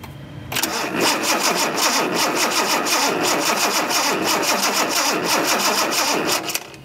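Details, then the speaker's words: 1976 Datsun 280Z, fuel injected: starter cranks the engine at a steady three beats per second for six seconds without catching, new plugs, cap and wires fitted, spark tester on one cylinder still shows no spark; crank, no start. "still no sparks that's really strange so what i'm going to do now is hook up the spark tester on every single cylinder to try to give us a clue of what's going on"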